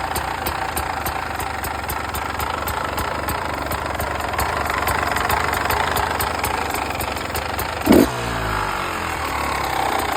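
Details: 2015 Beta 300 RR two-stroke. A light metallic rattle rides over the idle and stays through a short throttle blip; the rattle's cause is unknown.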